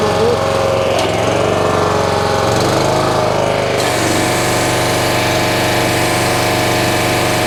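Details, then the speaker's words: North Star 3000 psi pressure washer, Honda engine below full throttle, CAT 5DX40G pump after reseal and valve replacement: steady drone, firm pump note under load, no shudder or surging; running properly. "pulls the unloader well that feels really good feel that whole thing in it like I did before"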